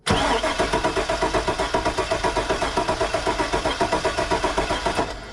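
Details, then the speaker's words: Truck with 85,000 miles cranks about five seconds at four even beats a second but doesn't fire. The fuel gauge reads near empty and it may be out of gas. "she doesn't want to start we got something going on"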